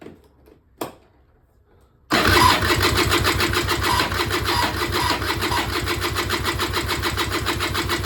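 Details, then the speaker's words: Peugeot Speedfight 2 100cc two-stroke scooter with Leo Vinci exhaust, bought unseen at auction and long unused, first start attempt: starter spins into even chugging about three beats a second, never fires; spark confirmed, carburettor still filling. "I feel I've turned it over for a while. There's some fuel's just starting to come out now. So yeah, I'm gonna give it another go, see what happens. I haven't heard anything fire yet."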